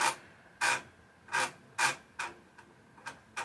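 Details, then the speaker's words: Amiga 1000 floppy drive under repair, booting AmigaDOS 1.3 from the Workbench disk; loud rasping seek bursts, about seven in under four seconds, with quiet gaps; noisy but working. "It seems the disk drive works as well which is awesome Kind of expected this not to work but there we go, AmigaDOS version 1.3"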